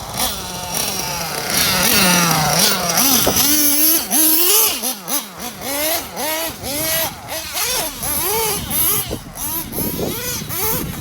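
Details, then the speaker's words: Nitro RC truggy (Jammin) run super rich on track to keep it under 250°F, near the end of break-in: a high buzzing engine rises and falls through laps, reaching only about 33–35,000 rpm on the straight versus its 40,000+ capability; the rich tune holds revs down. "it feels fine in the infield it's just going down the front stretch it it's only reaching 33 maybe 35 000 rpm"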